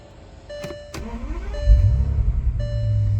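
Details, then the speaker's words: Salvage 2006 Bentley Continental Flying Spur, 6.0 L twin-turbo W12, low mileage, about 90°F out: quick crank catches at once, settles to smooth even idle, steady low rumble, no knocks or misses; no check engine lights, runs as it should. "see it's about 90 something de out here and you can hear underneath the hood that the engine is hring right along as it should"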